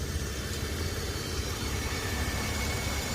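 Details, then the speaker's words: 2013 Nissan Frontier 4.0L at idle: faint steady high-pitched whine over even idle, from the transmission pump; dipstick shows fluid completely dry; truck drives and shifts fine; noise absent when cold, returns once warm. "nothing registering on this dipstick at all nothing at all it's dry the truck drives fine shifts fine but uh that's where your noise coming from"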